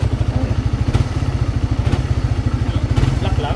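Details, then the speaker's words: Engine with a noisy head that heats up quickly. A heavy, deep knock about three times a second rides on the idle. Connecting rod or piston slap is suspected, to be confirmed by opening the engine. Connecting rod knock. "yan ilal usually kas pag malakas yung mga gany stone slap nanggagaling yan sa connecting rod"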